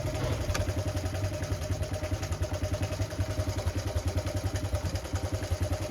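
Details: Honda Cub C70 during restoration, points reset to 0.03 and earthing fault in points wiring fixed: small single ticks over with steady, even pulses about three a second, no misses; running cleanly.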